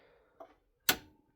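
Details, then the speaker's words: Anker Solix F3800s home backup transfer switch powered on after electrician installation with sub panel: light tick then one sharp, crisp clack as the relay engages normally; voltage checked at 240 V between hot legs and 120 V hot to neutral. "All right, so you hear that click, and so we checked the voltage already."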